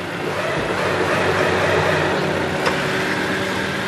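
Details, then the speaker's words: Honda Civic brought in for rough idle and gearshift jolts: steady engine drone, faster and busier than a normal warm idle; idle measured about 1,100 rpm, owner had it set high to avoid stalling; high idle speed. "พอฟังจากเสียงเครื่องแล้วรู้สึกว่ารอบเครื่องจะสูงมากเราจะมาตรวจสอบอาการก่อนเข้าโครงการนะฮะ"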